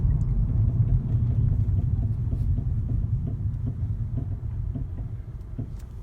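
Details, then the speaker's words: Volvo C30 under firm braking: repeated popping about three a second, light flutter over low road rumble, louder the harder the brake pedal is pressed. "popping noise happens when you depress the brake more. So a light flutter now."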